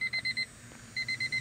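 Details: 1999 Honda Civic LX that won't start and overheats, key on: four quick high beeps, a short pause, then four more from the dash warning chime, showing the battery and electrics have power.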